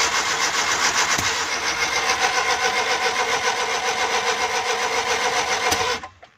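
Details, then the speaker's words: Suzuki Ravi/Bolan cold morning start: long even cranking at about four beats a second with a couple of backfire pops, never catches; fine once warm; no-start. "Back लगाती है और गाड़ी स्टार्ट नहीं हो रही।"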